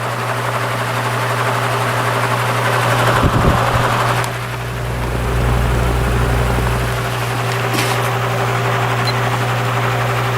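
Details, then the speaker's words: Repaired spare plastic Marco motor with blade from vintage Lasko/Galaxy box fan on low speed (red wire): constant low mains hum with steady higher tone, no rattle or scrape, some handling bumps; the usual hum of these plastic motors; about 1 A, 80 W; normal. "Alright, now we'll do low speed, which is the red wire. It's got that nice motor hum that these plastic motors usually have."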